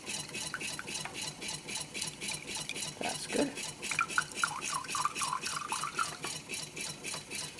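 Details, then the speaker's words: New homemade Stirling engine with water pump, first run on an alcohol burner: quiet, soft rhythmic swish with light scraping about once a second; builder suspects the steel wool inside is rubbing, maybe something more. Rubbing noise, cause unconfirmed. "sounds like the um the steel wool inside that this place rubs a good bit maybe sounds like a little bit more than the steel wool might be rubbing"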